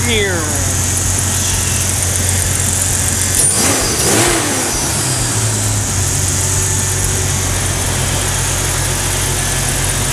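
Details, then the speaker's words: 2000 Jeep Cherokee XJ after swapping in a 2006 Jeep TJ 4.0 inline-six: brief cranking, quick catch, then a steady, even idle with no knocks or ticks; starts and runs healthy. "You probably want to hear it start and run, in case I'm like lying to you in this entire video."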